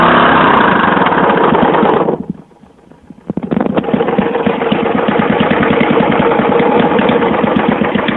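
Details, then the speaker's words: 1982 Yamaha SR 250 Special Edition single-cylinder motorcycle on choke, probably from when the carburetion was being adjusted: loud, uneven, raspy lawnmower-like chuffing around four beats a second; the exhaust line is full of holes and leaking. "Vous remarquez le bruit quand même magique de tondeuse à gazon. Là c'était avec la ligne d'échappement toute trouée."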